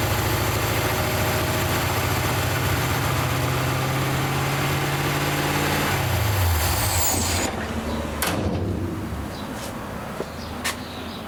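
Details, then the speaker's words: Rat rod engine after carburetor clean and refit, gasket set and power valve possibly needing replacement, new jets needed: fast steady idle about two hundred beats a minute that won't go lower before shutoff — high idle, cause suspected, not confirmed. "you can hear it ain't ticking over I can't get it any lower than that"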